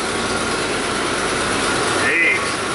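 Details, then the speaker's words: 2006 Ford F-150 5.4 V8 idling after a no-crank, no-communication repair (relay). Loud, raspy, ticking exhaust note; an exhaust manifold leak is suspected but not confirmed. "Well, we got it running. I think I might give him a quote on some exhaust"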